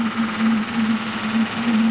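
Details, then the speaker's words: Maxitrak Graupner 5000 steam engine driving a pond water pump on its first run: steady low hum with an even pulse about every half second, smooth and unbroken; engine and pump running fine. "pumping water out of this bucket and back back in again but there's this little grer engine going beautifully"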